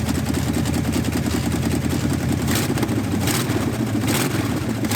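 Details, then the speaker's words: 1969 Dodge Charger V8 abandoned for decades, two different heads, mismatched spark plugs, one broken piston and a broken-off valve: first idle in decades, smoking heavily; ragged, lumpy, surging beat, running rough. "it's smoking like a freight train but it ran two different heads two different style spark plugs one piston broken a valve broken off in it and it fired up and idled for the first time in decades"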